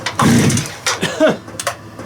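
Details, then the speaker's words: Stihl TS400 cut-off saw after ultrasonic carb cleaning, low-speed screw opened about three turns with air filter fitted: engine catches in ragged bursts, revs flare then sputters and stalls as if out of fuel; owner suspects fuel starvation, cause unconfirmed. "so let's go another half a turnout it look like it's run out of fuel again"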